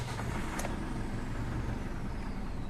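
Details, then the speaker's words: Ford Everest diesel brought in for low power and a noisy engine, after oil change, sensor and MAF cleaning and new air filter: idle too low with a dull rumble; suspected air in the fuel, fixed by pumping the fuel filter assembly primer. "Masyado kasing mababa ung Menor pag ganun mga boss ipump niyo lang dito sa fuel pump filter assembly mo ayan mga B sa ibabaw I bombahin mo lang yan pag Masyadong mababa yung Menor possible May hangin pa yan"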